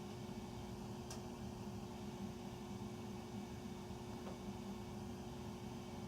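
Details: Furnace running after 10 PM (08-20-14), heard through the main duct across three levels and recorded here in the utility room. A steady, loud roar with a low droning hum; the furnace is far too noisy and the cause is unknown.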